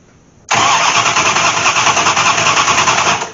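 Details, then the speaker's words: Dodge Aspen with MSD ignition and rat-nest wiring, sitting nearly six years, driveshaft disconnected, no fuel but starting fluid poured in: starter churns at an even, quick beat about three seconds without catching; cranks but no start. "hurry she's a no fire so I know we don't have fuel but I did attempt to put some juice down in there"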